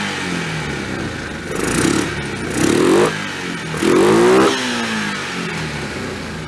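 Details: 2003 Yamaha Kodiak ATV single-cylinder, just reassembled and started with choke then choke off: steady idle with three clean throttle blips that rise and settle without stumbling or popping; running properly.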